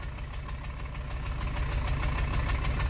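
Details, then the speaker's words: 2012 Chevy Cruze with flashing check engine light and StabiliTrak light on, idling after a short drive: uneven, lumpy idle with a heavy low pulsing beat, a severe engine misfire. "now I will say right away that severe engine misfire"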